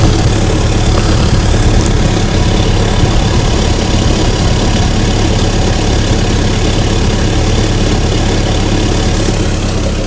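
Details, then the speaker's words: 2004 Mitsubishi Lancer Ralliart with an RRM Magnaflow axle-back exhaust at idle: a loud, deep note with a rough puffing chuff from a hole in the exhaust. A rag is used to locate the hole. "I'm going to show you guys the hole in my exhaust I believe this is the MagnaFlow axle-back from RM"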